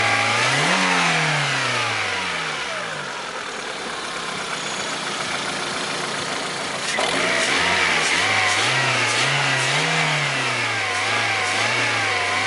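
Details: Lada Priora, 21126 petrol engine: revs swing up and down with a sharp, fairly regular tapping of about three or four per second over them; engine knock, cause unknown.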